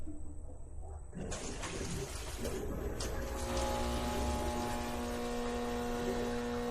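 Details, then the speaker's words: Deep-well pump on a Solis S6 11.4 kW hybrid inverter in back-up mode with two paralleled LG RESU 16H Prime batteries: low, steady electrical hum builds but the pump never runs up to speed; fails to start with an undervoltage trip, though it works in bypass. "It doesn't sound good. What happened? What happened? Dang it. Dang it."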